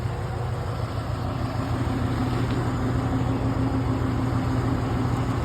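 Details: Subaru EA81 boxer petrol engine, idling, owner says it doesn't like the cold: uneven stumbling low pulse and wavering hum, sputtering rough idle; owner suspects ignition and fuel faults, not confirmed.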